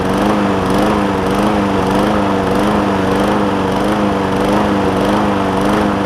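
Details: John Deere JA60 single-cylinder push mower with a replacement tank, new fuel line and cleaned carb, at raised throttle: speed hunts up and down every second or so. Lean running; debris is suspected in a carb jet, and an air filter is added.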